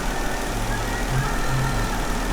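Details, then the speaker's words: Jeep Wrangler with code P0304, misfire in cylinder 4; coils and injector were already swapped and the misfire stayed on cylinder 4; dealer blamed the computer, but the scope shows its outputs working, so the fault is internal: uneven, stumbling low-thump idle. "Okay mi f detectado en el cilindro número 4 Así que vamos a estar realisando este sistema"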